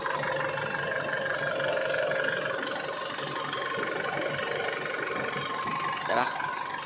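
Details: Isuzu Alterra diesel with hard starting, low power and check engine light: rough idle with uneven knock about three per second; fuel knock traced to front engine wiring harness grounded, fixed by wrapping in electrical tape.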